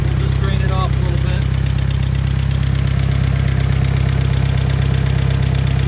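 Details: Willys engine powering a Hobart welding machine, just after re-ring and valve job, idling: steady, deep idle rumble with a regular beat, no tapping or rattles; running smoothly, though owner suspects one valve slightly loose.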